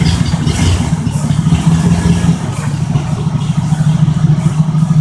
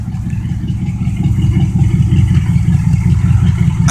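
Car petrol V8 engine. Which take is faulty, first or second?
first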